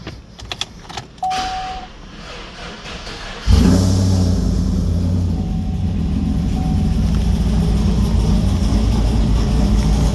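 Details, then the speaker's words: Cammed Chevrolet 5.3 V8 starting and idling lumpy with light quick tapping under the rumble from lifter tick; cam lifters to be replaced. "Tap tap tapping away. Going to be doing some cam lifters."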